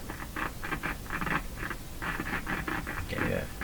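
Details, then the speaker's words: Philips PH202 vacuum tube console, AM radio receiver with no antenna attached: irregular scratchy crackling bursts over a low hum as the knob turns, skipping badly at low volume. The cause is a dirty volume control, considered easily fixed. "okay so we got the radio going and the volume yeah it's skipping it skipping badly down low okay we can fix that pretty easily"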